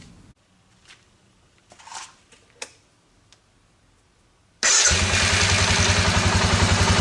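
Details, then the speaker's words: 2002 Suzuki Vinson 500 ATV single-cylinder after repair, new fuel shutoff valve replacing bad diaphragm and carburetor plugged idle circuit cleaned: starts and settles into steady, even idle with regular low pulse; runs much better, healthy. "that runs much better now that's uh how the problem was bad diaphragm and the fuel shut off valve and the carburetor did have the idle circuit plugged up"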